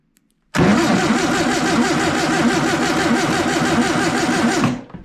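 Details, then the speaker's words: Long-stored air-cooled VW engine cranked on 12 volts to the coil via a jumper starter cable: steady even starter churning about four seconds, no firing; still no spark; owner wonders if it's 6 volt. "But still no spark. Nope, nothing."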